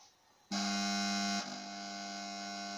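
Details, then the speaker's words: 18W T8 fluorescent tube, nearly new and salvaged, tested with a starter: a loud, steady mains buzz with a rattly metallic edge begins as the tube strikes. The ballast is vibrating against its half-loose metal support rail. "Désolé pour le bruit du ballast, c'est normal parce qu'il est... il tremble sur à moitié sur la ferraille du support de la railette, du coup c'est un peu pénible."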